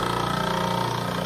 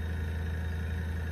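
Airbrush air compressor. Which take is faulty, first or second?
first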